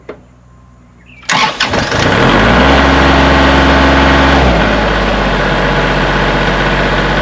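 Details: Kubota tractor after battery connections tightened, E93 code still present: brief crank, catches at once, settles into steady, even diesel idle with no misses or knocks; healthy start.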